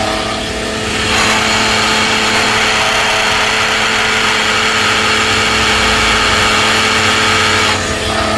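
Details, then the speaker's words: Car engine running, listened through a metal bar on the alternator: loud constant gritty whirring, worst right at the alternator; bearings and pulley clutch failed, alternator to be replaced. "you can listen with the bearings right here it sounds the worst coming from right here right on the alternator"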